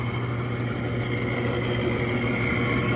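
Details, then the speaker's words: Freshly rebuilt Clipper Super 47B grain cleaner, ball trays only, no screens or balls, unloaded demo: motor hums steadily, shoe shakes evenly, fan turning, no growling or irregular noises; normal running. "the motor hums right along I don't hear any growling or any irregular noises just an all round beautiful machine"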